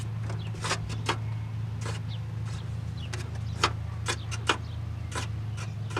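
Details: Autocross car's electric radiator fan after refitting the washers: low steady hum with irregular sharp ticks about once a second, still abnormal. Owner wonders whether that earlier problem burnt out the previous fan motor.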